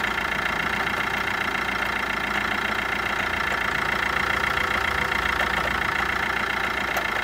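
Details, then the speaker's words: 2013 Fiat Linea 1.3 Multijet diesel idling after timing chain set replacement; battery light flickered and a light ticking with bearing hum came from the alternator; worn alternator brushes and bearing found and replaced. "aracımızı çalıştırdığımızda bir akü lambası yanıyordu ufak böyle bir kıpırdıyordu ve ufaktan takır tıpır şarj durumunun içinden ses geliyor"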